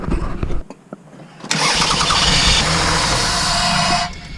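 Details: 2002 Toyota Sienna 3.0L V6 that stopped starting: steady starter whirr cranks about three seconds with no firing or catch, then stops; crank-no-start from a failed fuel pump, fixed by fuel pump replacement.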